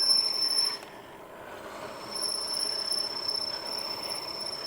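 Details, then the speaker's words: Jansno X50 electric bike braking downhill on a long hill: a high, steady squeal drops out for about a second, then returns; the brake squeak later disappeared, cause unknown. "You can hear these these brakes trying to stop. Oh, something didn't sound right."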